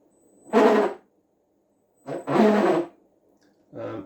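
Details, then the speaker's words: Cen Racing Baja Boss 272 RC speed boat bought on eBay, first motor test: three short harsh bursts of rough grinding as motor is blipped each direction; prop shaft is dry and chattering. "Oh, there is, but crikey, that prop shaft is dry. That sounds pretty horrendous, like."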